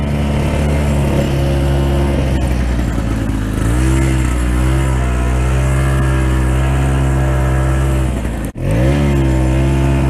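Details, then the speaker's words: Terhi 10 towing a sled on ice after fixing a rattle from a loose washer/starter pawl in the starter: smooth, even two-stroke drone with a steady low note, briefly dipping then recovering, no rattle; normal running. "Ja kuunnelkaapa Terhin käyntiä nytten. Edellisessä videossa saattoi kuulua, kuinka se vähän kilisi. Ja nyt mä sain sen pian korjattua."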